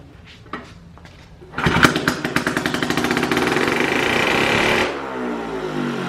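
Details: Cheap four-wheeler firing right after its carburetor was cleaned and reassembled: it starts hard, races at a fast rev for a few seconds, then cuts out. It was leaking lots of fuel; a part had been left out of the carburetor.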